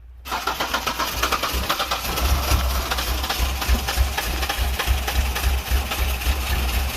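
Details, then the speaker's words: Ford Ranger engine that was hydrolocked, started after pulling the plugs, cranking the oil out of the cylinders and refitting the plugs and coil. It catches after cranking and settles into a steady, even idle with no knocks or odd noises; runs healthy. "right well you guys hear it it's a runner you managed to get everything out of the cylinders cranking over engine doesn't sound to be too hurt or doesn't sound hurt actually i don't hear any weird noises it is uh island pretty smoothly right now"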